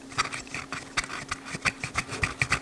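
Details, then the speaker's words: Blown speaker during rebuild, new surround glued inside only: scratchy, irregular grinding bursts when the cone is pulled from underside by hand, voice coil rubbing in the magnet gap. "that grinding if I move it from the from the underside if I pull out on it which you definitely don't want that"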